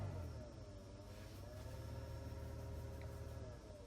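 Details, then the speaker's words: 2012 Dodge Grand Caravan front interior blower motor: steady low rumble with faint hum as fan runs, louder in reality; noisy blower motor, being replaced, cause not confirmed. "way noisier in real life"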